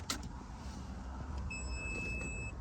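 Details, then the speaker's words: Audi TT MK1 after fuel sender repair and pump refit, key on: steady high electric hum for about a second then cuts off, no leaks; normal fuel pump priming. "can hear that pump priming up there. No leaks at all, and if we have a look at the dash, you can see that there."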